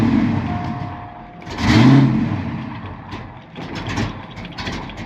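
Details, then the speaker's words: Ford Mustang Foxbody with 24-lb injectors and the original MAF refitted (its calibration is uncertain), running on a swapped computer: the starter cranks, the engine catches with a brief rev, then sags and won't keep running. Hard start. "All right. So it almost wants to run. I bet you if I did a base auto reset on this, you can actually, learn a little bit."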